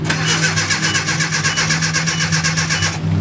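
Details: 1987 Nissan D21 pickup, Z24 twin-plug four-cylinder, new fuel pump just fitted, no fuel pressure yet, possibly with a spark plug pulled: even starter cranking about two beats per second for three seconds, never fires; crank, no start.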